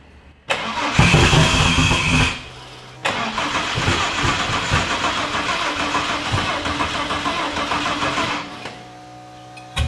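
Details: Starter churns steadily around four beats a second with throttle wide open, engine turning over and puffing but never catching; fuel confirmed present, cranking stops and retries without firing; compression test planned, cause unconfirmed.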